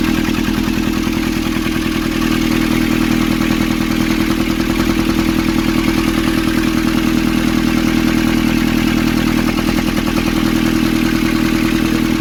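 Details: Nissan Urvan ZD30 diesel after a no-start repair in which a clogged, soot-filled part near a sensor was cleaned and refitted: steady, even clatter at a fast regular beat, no misses or hunting over twelve seconds; healthy, settled idle.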